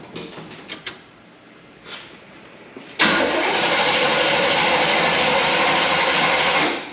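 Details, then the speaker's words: 1972 Chevy Impala, all-original points ignition, parked because of a severe misfire. Given a couple shots of gas, then a few seconds of steady, even starter cranking; the engine never catches. No spark is suspected, and points may need sanding. "gas okay before we uh kill a battery here it's turning over I'm not here and Spark so I think we're going to start there"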